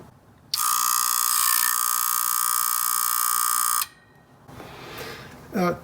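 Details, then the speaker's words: Atlas Sound CP400 commercial audio amplifier at power-on: steady harsh buzz for about three seconds as one output relay chatters instead of pulling in cleanly, with delayed engagement. Electrolytic capacitors suspected, not confirmed. "when I'm listening to it it sounds like this is the one that has the delay that may be working closer to normal but it's chattering as well"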